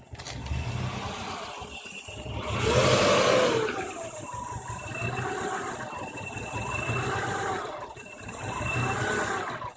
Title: Rough idle 93 ej22